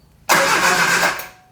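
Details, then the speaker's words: 1973 Triumph Spitfire after sitting three years, cranked with some throttle and brake cleaner: a brief rush of cranking that dies without settling into idle. Owner suspects no fuel reaching it yet. "So, I think it just doesn't have gas to it yet, but it it runs and it is nice and quiet to your face."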